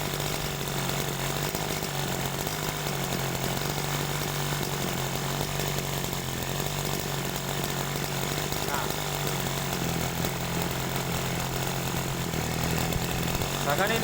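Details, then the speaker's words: Sprayer engine with a carburetor set too lean: a thin, dry-sounding buzz that slowly sags in speed as if about to die. "Nah jadi seperti gini perhatikan habis ini dia sepertinya turun turun turun kemudian mati ya pokoknya ini kedengarannya e seperti kering ya"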